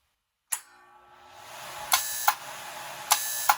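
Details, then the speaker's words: 1993 TIG/stick welder after fitting a new HV impulse (arc-start) transformer with a 5-coil primary: click, then a harsh, high-pitched buzz for about a third of a second, twice; normal high-frequency arc-start noise. "If it does, we should get a heck of a noise by flipping this little switch here."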